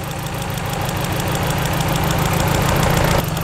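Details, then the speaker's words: Nissan S13 200SX misfiring on three cylinders: tool held on each injector at idle, cylinders two to four click but number one gives no crisp tick, so its injector isn't firing; power and wiring still to be checked with a multimeter. "so number one nothing so it's a bad fuel injector"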